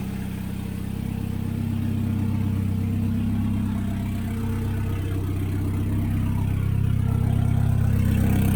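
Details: CA18DET-swapped JDM Miata first proper start; catches straight away and settles into steady smooth idle with a low even drone, slight smoke burning off; cold start problem solved, normal idle.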